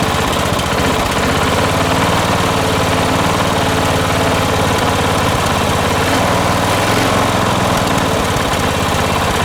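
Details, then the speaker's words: 1980s John Deere RX95 ride-on mower, 36-year-old Kawasaki FV460V engine, after carburetor and starter rebuild: steady, even mid-pitched drone with a constant beat, stable idle with no misfire or knock; normal running. "all right she sounds good foreign"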